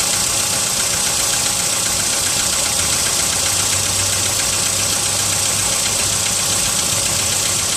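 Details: VW Polo sedan, 55 thousand mileage, cold idle at +4°C: light, fairly regular tapping knock about 2.5 per second over a busy, hissy engine note; origin of the knock unknown.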